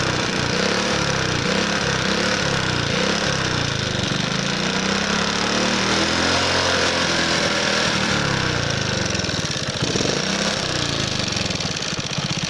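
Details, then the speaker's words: Alpha moped single-cylinder engine knocking after being ridden with oil at minimum: hard, uneven metallic knock about three per second; owner suspects piston hitting a valve, possibly a failing clutch basket or magneto striking; timing chain intact; revs drop. "Гремит движок, 80% клапана. Поршень бьет об клапан."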